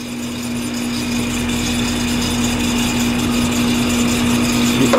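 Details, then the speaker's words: Outdoor AC condenser unit, customer reported a loud squeaking noise: a steady hum, a harsh high whir and a rough rattle about four times a second. Failing condenser fan motor; new fan motor and possibly a new blade needed. "Yeah, so we're gonna need a new fan on here. Maybe a new fan blade."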